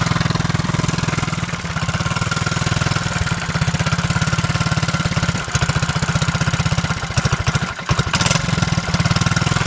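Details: Z50 small single at steady idle, choke set halfway, with a sharp puffing chuff on each firing pulse; an exhaust leak that is being located.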